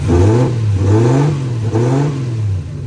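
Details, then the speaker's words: 1JZ-swapped Nissan 240SX S14 after changing misfiring, water-wetted spark plugs: three throttle blips with pitch rising and falling evenly, no stumble or popping; engine revs cleanly now. "Misfire. Change the spark plugs, let's see. Give her a second. There she goes, sounds better."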